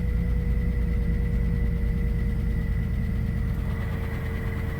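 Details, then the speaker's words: Old engine in Minnesota winter cold start after sitting about a week, said to sometimes not run on all four cylinders, idle air control valve replaced for stalling: low steady idle rumble, no skipped beats, on four for now; normal idle. "Yeah, it sounds fine."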